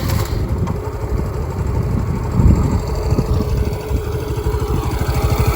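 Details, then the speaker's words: TVS Jupiter scooter engine warm at idle: steady low putter with no tappet ticking; normal sound with valve clearance set correctly, whereas badly adjusted tappets cause noise and less pickup. "गा आप नॉज सुनो य बिल्कुल टपट की नज नहीं आ रही है ठीक है एकदम जो नॉर्मल होती है वो आ रही है ठीक है इतनी नॉर्मल होती है"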